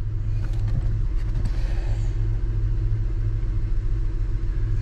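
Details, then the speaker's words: Car brake pedal worked at steady engine idle with no squeak or creak, after lubricating the pedal bushing that squeaked when the pedal was released. "as you can tell look at that the bushing is now lubricated"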